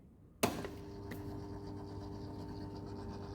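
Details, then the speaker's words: Indesit 8 kg vented dryer set to 140 °C: a click at switch-on, then only a faint steady hum. The timer runs and it heats, but the drum doesn't rotate. A broken drive belt; the belt, motor and capacitor were suspected. "yeah this this noise only we can hear the noise timer is rotating but drum not rotating not also not uh starting"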